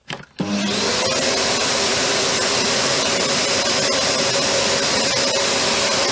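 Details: Panasonic MC-UG302 1900 W upright vacuum after fitting a new brushroll, replacing the seized one: steady even motor roar and clean whine, brief catch clears itself, no knocking; much better.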